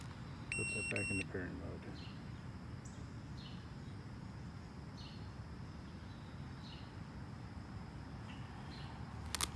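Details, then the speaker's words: Boosted Board V2 electric skateboard, shred lights just installed; at about 23–24 mph the remote beeps rapidly, a burst of high electronic beeps then faint repeated chirps over a quiet hum, losing connection and dropping to eco mode; motor cables and motors checked solid. "okay so now the beeping starts at 24 miles per hour we don't have connectivity now"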